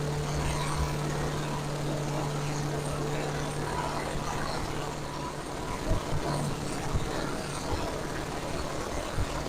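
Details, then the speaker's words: Camshaft break-in at about 2000 rpm, hot, near halfway of a 20-minute run: smooth, constant hum with no ticking or knocking; engine sounds great, coolant circulating, carburetor and ignition fine, rear main seal dry, only a known water pump leak. "Uh, engine sounds great. Coolant circulating. Carburetor's fine. Ignition's fine."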